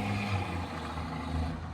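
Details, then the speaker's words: 1986 Mercedes W124 300D, OM603 turbo diesel with 7.5 mm injection pump, Holset H1C turbo and intercooler: deep steady roar pulling evenly, no knocks, misses or turbo whistle; cleared up and sounds much better. "And it cleared up. You can hear it sounds much better, man."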